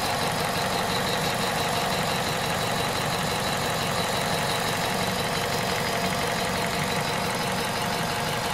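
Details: Hot engine, VTI 120 at 98,500 km, idling: a loud, uneven ticking clatter throughout, well above the normal engine note; abnormal engine noise when hot.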